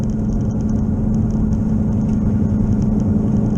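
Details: Car driven at 15 mph, then faster on the interstate: steady low droning hum with a rough rumble under it that worsens with speed. Once mistaken for an engine knock, it was identified as a bad wheel bearing, not yet fixed.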